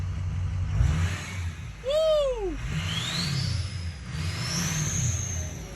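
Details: Ford 6.0 Power Stroke diesel after head studs, head gaskets, regulated return and an exhaust back pressure sensor swap (VGT duty cycle had been stuck at 15%): throttle blips bring a clear whistle rising and falling over a steady rumble. Normal turbo whistle.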